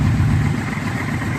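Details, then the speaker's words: 1996 Yamaha Royal Star V4 with 4-into-4 exhaust, after carb cleaning, sync and tune-up: low, steady, even burble at idle with no misses or hunting; not loud, engine sounds good. "engine doesn't sound too bad actually there's got the exhaust I actually kind of like it's not loud at all idling"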